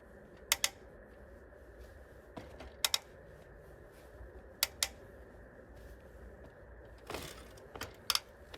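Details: Hybrid bike with front suspension and rear rack: sharp crisp clicks, often in quick pairs, each time a pedal is loaded, not when frame flexed by hand; easiest on upstroke, less on front-left downstroke; cause unknown.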